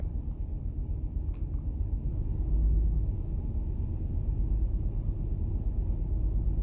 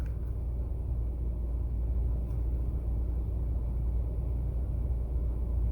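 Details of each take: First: 2008 Toyota Sienna with the 3.5L 2GR-FE V6, dash warning lights on: lumpy, rough idle with an irregular stumble and excessive vibration. Misfire from a failed ignition coil B, cylinder 2 (code P0352). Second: 2008 Toyota Sienna 3.5L 2GR-FE V6 at idle after replacing the failed ignition coil (code P0352, coil B / cylinder 2): quiet, low, even rumble with no stumble; engine now running much smoother, normal idle.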